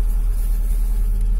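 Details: Lada Largus just after a cold start: steady, even low idle rumble with no knocks or ticks; oil warning lamp went out, engine sounds healthy.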